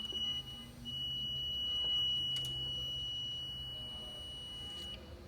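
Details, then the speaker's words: Ford Explorer electric fan clutch harness, multimeter continuity test on a known-good circuit: steady high beep about four seconds showing closed circuit; new aftermarket fan clutch found shorted by exposed copper wires. "sound see makes there's continuity there that means it's a closed circuit it's good"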